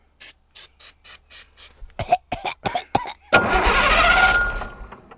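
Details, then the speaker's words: Diesel engine, injector lines cracked loose to bleed air: starter spins in even bursts about three per second, one rough cough that never catches; no fuel reaching the injectors. "Come on. Come on, man, Hank. Sorry. Ready? Okay. I ain't getting no fuel."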